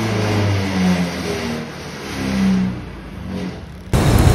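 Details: Honda Click125 scooter after repair of a severe misfire/bogging problem, error codes cleared and reset, battery voltage low and due for replacement: engine revs up and settles twice, pulling cleanly and evenly with no stumble or misfire; power restored.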